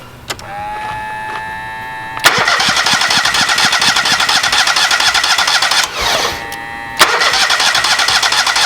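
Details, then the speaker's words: Kohler EFI small engine with aftermarket high-pressure fuel pump: starter churns it over evenly and fast for several seconds but it never catches, as fuel must first be fed through to the pump canister; no fuel delivery. "So in order to get gas from here into there, you got to pump fuel into it. So let's just crank it over and see what happens."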